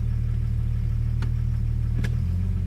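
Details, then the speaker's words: 1997 Jeep Grand Cherokee with misfiring, poor oil pressure, knocking and stalling: idle sags and roughens once reverse engages, nearly stalling but recovering; owner suspects computer connectors. "And every time you put it in reverse is usually when it dies the most. Hit the brake, reverse."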